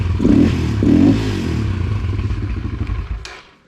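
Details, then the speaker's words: Kawasaki KLX140 rebuilt after falling off a trailer, with the carb cleaned and the valves checked: it fires up and revs crisply with a clean, even bark, then shuts off with no knocking, running fine. "i don't know what the deal was there but other than that she fires up turn it on real quick here i mean running good"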